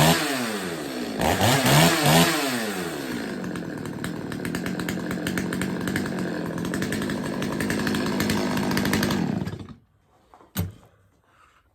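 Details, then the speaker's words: Stihl 025 chainsaw after a carb tune-up, restarted: starts with a few quick blips, then settles to a steady, even idle with no hunting or stumbling before shutdown; normal start and idle. "will do that several times just to make sure she starts and runs the way she should"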